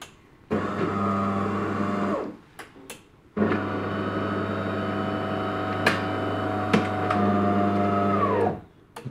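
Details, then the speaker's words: De'Longhi ECAM coffee machine after cleaning the stuck, cracking brew group: two smooth motor runs with an even hum, no knocking or clicking; brew group now comes out by itself and travels normally. "kommt sie schon selber raus und so sollte es dann auch sein"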